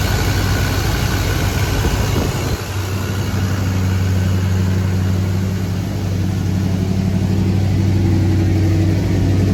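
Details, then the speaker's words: 1983 GMC K2500 Sierra Classic V8, sat about five years, carbureted, first start with fresh fuel and little or no coolant: deep, even, steady idle with no misses or knocks. Normal idle; carb jets may be gummed. "okay so she runs she idles might be some carb cleaning in the future if any of those jets got gummed up"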